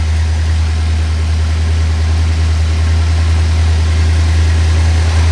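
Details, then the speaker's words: A 1956 Ford Thunderbird, just started after sitting about 5 years, idles with a low, steady hum and no knocks; a fuel leak was found. "But she runs. I'm actually surprised on how well she fired up and how quick she fired up."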